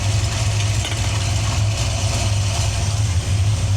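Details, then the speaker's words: Cammed coupe idling with the microphone hand-held: a deep, loping, uneven idle with a heavy low burble and no clear tick; the mixture is extremely too rich. "this thing is extremely extremely too rich all"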